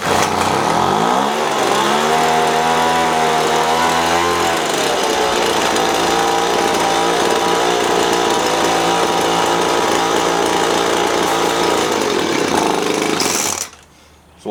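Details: Poulan Pro two-stroke leaf blower just after a new primer bulb and carb cleaning, running thin and buzzy, hunting and sagging at low speed; the low-speed mixture is too lean and starving, so the low-speed screw gets opened.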